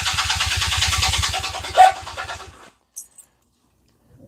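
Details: 2003 Honda CMX250 Rebel with fuel delivery issue: fires on full choke, runs a couple of seconds with quick even pulse, then fades and dies; spark and compression confirmed, fuel starvation (won't run on reserve).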